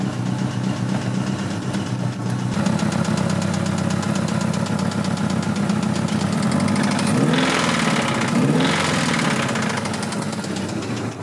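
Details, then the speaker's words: 1986 Toyota MR2 AW11 salvage-yard parts car engine idling: steady, rough knock about four per second over the engine note, worn rod bearing; rod knock is bad and the engine is toast, though the injection system works. "the rod knock uh is pretty bad. So, uh that engine is toast."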